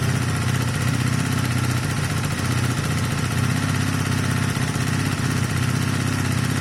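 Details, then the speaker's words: Honda CB250 Nighthawk cafe racer after engine rebuild with new piston, cylinder and valve stem oil seals: steady, even low thrum at idle with no ticking, knocking or misses; smoking appears solved, normal idle. "Unless I've got it really wrong, and I don't think I have, guys, I think that problem's solved."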